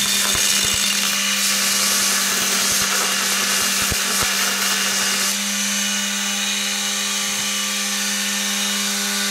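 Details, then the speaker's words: Prototype 2x72 belt sander/grinder with rubber-isolated motor mount and rigid axle, running at quarter then half speed: steady motor hum and smooth belt hiss with a small pitch step, no rattle or thumping; much quieter and smooth. "Very much quieter. Only running at a quarter speed, we're at half speed. Very smooth. A lot quieter."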